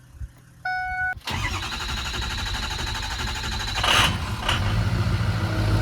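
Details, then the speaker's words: Diesel engine sitting about two weeks: short tone, then steady cranking several seconds before settling into a rough low run; long crank before start. "a little bit of a long crank it's been sitting for about 2 weeks"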